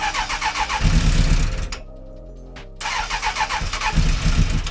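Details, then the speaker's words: 1996 Suzuki Bandit GSF600S after a carb rebuild with new jets, cold, battery at 14.2 V, cranking on choke. The starter churns, pauses and cranks again without catching. Slow cold start. "Give it any throttle it wants to die. But it's doing better. Yeah, let it warm up."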